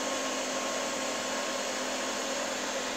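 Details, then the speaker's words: APC Back-UPS XS 1300 desktop UPS reassembled with the temperature sensor reconnected. A steady fan rush with a faint constant hum and no beeping: the UPS is running normally on mains with no error. "Click Clack see if we get an error all right so that's happy"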